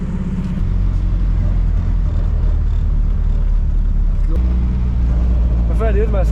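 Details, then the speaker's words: Nissan 240SX, KA24DE engine, after leak-down and bottom-end tests, warming up before a first test drive: steady, even low idle with no misses, knocks or smoke; the exhaust sounds raspy. Normal idle. "we got the car started up it sounds pretty good I mean it doesn't sound good the exhausting sounds like [ __ ] the car's not smoking"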